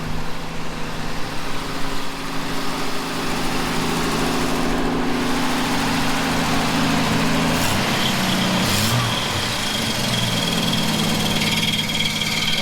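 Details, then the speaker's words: 1967 Plymouth Valiant at idle: a thin, constant high whine rides over the engine, coming from the alternator, which works but has a weak bearing. "Noise you're hearing, gang, it's actually the alternator. The bearing's weak in it. It's working, but the bearing's weak."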